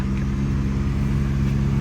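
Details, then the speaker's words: 2014 Chevy Cruze cabin blower on full blast after a cabin air filter change: a steady low droning rumble with a fixed low tone and faint rough flutter; leaves were later found. "That sounds a little weird. Is that just me?"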